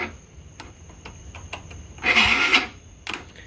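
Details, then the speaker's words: Taotao GY6 50cc scooter on a roughly 15 V battery, starter relay bypassed by connecting the wires directly: scattered clicks, then a short strained whir that dies. Weak cranking; bad starter suspected, new starter planned. "I'm bypassing it right now by direct connecting both wires to kick the starter and it's turning over but it sounds like a starter is very weak"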